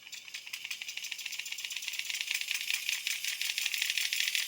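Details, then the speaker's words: Hachette Avro Lancaster model outboard engine motor, still loosely mounted, on the battery pack: an even whir with a light, fast rattle at two to three pulses a second, running fine and stopping cleanly. "There you go. Even sounds authentic, doesn't it? And it sounds authentic when it stops."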